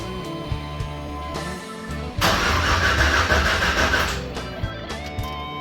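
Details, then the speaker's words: 1989 Chevy S10 Blazer with 5.3L LS swap (Stage 3 cam, NV3500), first start: cranks about three turns a second with a rough burst but won't run, flames from exhaust; 58 psi fuel, spark and injector pulse confirmed, timing suspected. "yet when you crank it doesn't want to start it will actually shoot Flames out the exhaust but it sounds like timing is not correct"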